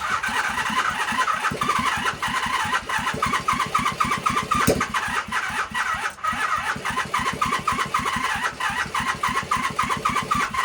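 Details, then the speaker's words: 1978 Honda CB400A Hondamatic that sat outside 10+ years, softened parts refitted: the starter spins steadily near four turns a second with faint catches that never take, like it wants to go; missing carburetor springs. "So close, like it wants to go."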